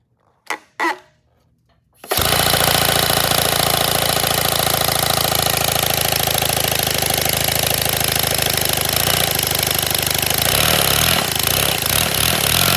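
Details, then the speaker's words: 3D-printed 157cc inline twin compressed-air engine, redesigned, first test runs: rapid harsh clattering beats about three a second after a couple of puffs; rough running, owner suspects overheating, cause unconfirmed. "Something's off. Like, something sounds like it's over. Nah, something feels like it's overheating."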